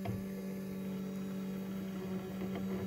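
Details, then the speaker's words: Sensorless three-phase brushless motor on an electric kayak jet drive at low timing: steady, slightly uneven hum near 200 Hz, stuttering on startup and doing little until reaching six amps; owner plans to add timing. "hear that until you hit six amps it really doesn't want to do anything it doesn't want to um it's not getting the feedback from the motor so we have to be at six amps"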